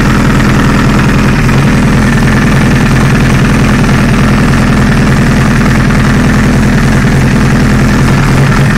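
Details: 2008 Honda CBR1000RR clattering at idle with fast dry clac-clac like a Ducati dry clutch, gone under load in first gear; engine opened and nothing broken or loose, owner suspects clutch basket. Clatter at idle, source unconfirmed.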